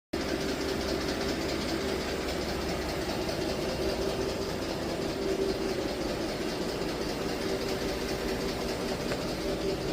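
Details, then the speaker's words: 2016 Ford F-150 5.0 V8 running: loud fast tapping, almost diesel-like, audible across a parking lot, not the normal Ford typewriter noise; caused by a loose timing chain. "this noise you're hearing in the first part of this video is not the typewriter noise this sounds almost like a diesel and it is very loud you can hear it all the way across the parking lot"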